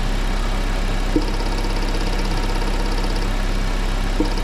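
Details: Engine during ignition coil, plug lead and spark plug checks for a misfire. Steady, even idle with only a couple of faint clicks from handling the leads and no stumble or misfire; normal idle.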